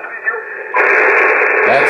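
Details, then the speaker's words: Icom IC-7410 HF transceiver in contest station, noise reduction switched off, noise blanker off: constant crackling hiss with faint voice underneath; raw receiver static that noise reduction at 12 o'clock largely removes. "To turn on the reason for the noise reduction is to get rid of that crackling and staticky sound in the background."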